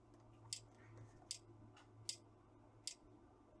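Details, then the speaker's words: Trojan treadmill control board DCMD67: sharp quiet relay clicks about every 0.8 seconds as supply voltage drops out, microcontroller repeatedly restarting and pulling relay in and out; missing optocoupler feedback, open loop; relay chatter from supply voltage dropout. "The microcontroller is not starting up because we saw that the voltage is just falling out. So the microcontroller is trying to start, bring the relay in, the microcontroller stops, brings the relay out."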